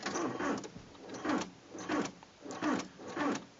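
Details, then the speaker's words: Mk5 Golf TDI with a dead Varta 72Ah battery, turning the key with the clutch in: no cranking, only soft repeated clicking and buzzing from the door locks about every second. A replacement battery fixed it. "can hear the door locks engaging um yeah there's obviously not enough well I'm guessing something like not enough battery power to do everything um doesn't start"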